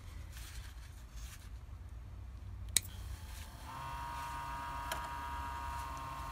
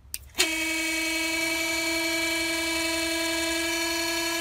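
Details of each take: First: Old auxiliary coolant pump from a 2009 Toyota Prius 1.5L I4 hybrid, bench-tested with a power probe: a click, then a thin steady electric whine that never changes pitch when its inlet is blocked; no suction, needs replacing. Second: Auxiliary water pump from 2009 Toyota Prius 1.5L, bench-tested dry under 3 seconds: sharp switch-on into steady clean high whine that changes pitch when the inlet is covered, showing strong suction; pump works properly.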